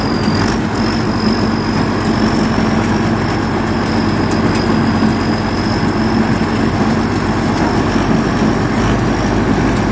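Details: Diesel rice combine harvester that would not restart after stalling; after the pump mechanic works on the injection pump (a stuck pump plunger was suspected), it catches quickly and settles into a steady, low, even idle with no misfire or hunting. Runs normally.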